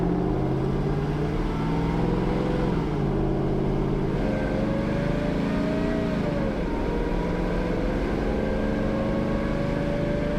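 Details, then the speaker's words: Morrvair V8 with 250,000 miles, just after replacing worn spark plugs (tuned on old plugs), driving around the block warming toward 180 degrees; steady drone rising and dipping smoothly with throttle, no misfire; started strong, sounds smoother. "Yeah. Sounds smoother. It started really strong."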